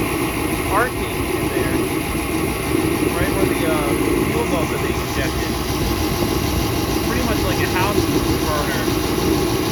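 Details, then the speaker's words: 40-year-old kerosene torpedo heater that used to misfire and shoot fireballs, just plugged in, running while warming up: steady even roar of burner and fan, no popping or backfiring. Normal running. "i didn't catch it turn it on but i plugged it in and it's running so i'll let it run for a few minutes and get hot"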